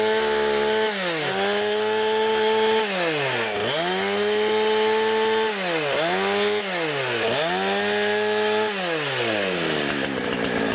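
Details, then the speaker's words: Husqvarna 455 Rancher chainsaw after oil pump replacement, revved in front of cardboard to check bar and chain oiling: clean, crisp revs rising and falling evenly, no bogging or stumble; normal revving, oiling well. "So now what I'm going to do is start it up. I'm going to rev it in front of a piece of cardboard."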